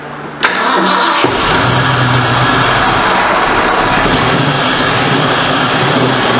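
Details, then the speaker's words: 1973 Ford Mach 1 Mustang running again after months off the road, nearly out of fuel, with its exhaust leak repaired. It cranks, catches and settles into an even, steady idle with a quiet exhaust and no leak puffing or ticking. "sounds good though no more exhaust leak that's one thing I don't know if you guys can hear it but it's exhaust system is quiet before it had a major example"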